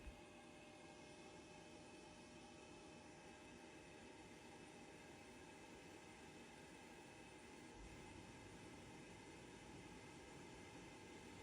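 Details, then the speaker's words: Worcester Bosch combi boiler with no heating or hot water and fast-flash fault, after fan and torn bearing plate replaced: smooth, even fan whirr with one faint steady tone, no rubbing or grinding, as ignition sequence starts; normal. "You can hear the ignition sequence start, which is more than we had before."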